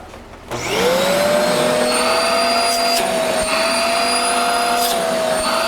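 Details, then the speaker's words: Shark vacuum after clearing a hose plugged with paper wads: motor spins up quickly and holds a strong, steady high whine with full airflow rush; suction restored, normal. "huge difference now we got vacuum make sure this is not plugged up put us back on there"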